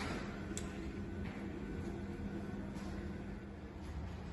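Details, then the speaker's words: BFT Virgo Smart swing gate motor on a small display gate during its first auto-set run: quiet, steady low hum with no knocks or grinding; it travels slowly until it finds its limits, then speeds up. "the gate will open up still traveling a little bit slow for a second while it's doing its first run of auto set until it finds its limit switches and then you will see it speed up shortly"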